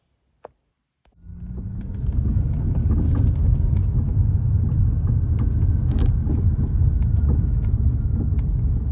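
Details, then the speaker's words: Audi A3 8V while driving: uneven knocks and rattles over heavy road rumble, first blamed on blown front shocks but later found to be the worn front drop links. "I later discovered that this noise is not the front shocks, it is in fact the drop links."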